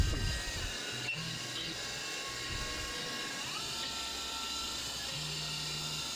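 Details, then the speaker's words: CNC plunge milling of tight radii with a 1/4 inch end mill on an AR15 gas block, before the finish pass: the cutter squeals with high ringing tones that shift and step over steady spindle noise; the chatter shows the spindle RPM needs adjusting. "And the plunging work is a little chattery, and this is also a little chattery, so it's evident that I need to play with the RPM a little bit to get that taken care of."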